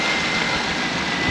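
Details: Engine restarted after new parts were installed (problem solved), with the cover and hose refitted: steady, even roar with strong intake hiss and no knocks or stumbles, idling normally.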